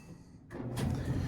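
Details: Samsung dryer DVE45T3200W/A3 after a sock stuck in the blower fan was removed: a click, then a low, even drum rumble builds with no scraping or thumping; normal dryer running after the fix.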